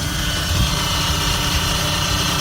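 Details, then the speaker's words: Chrysler Aspen under-hood recording of a loud whining noise: steady high whine over low engine idle, traced by listening from different angles to the power steering pump, suspected worn internal bearings or vanes; cause suspected, not confirmed. "That is a physical, actual power steering pump. When the last time you seen and heard one of those, and it is noisy."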